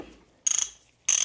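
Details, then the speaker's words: 56-year-old vintage Craftsman USA RHFT ratchet, flea-market find, just reassembled after cleaning and service: two quick bursts of crisp, even, rapid clicks with no dragging or skipping, sounds like new; normal ratchet pawl clicking. "It's like a brand new thing. So it sounds amazing for a 56-year-old ratchet that I scored at a flea market for 10 bucks."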